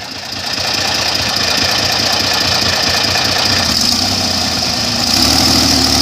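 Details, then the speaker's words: Airboat under load: loud roar with an uneven, stumbling beat that shifts pitch, breaking up. Crew questions blade pitch; the carburetor float is blamed for fuel delivery. "you don't think the blades are pitched too much oh you can hear it's breaking up yeah"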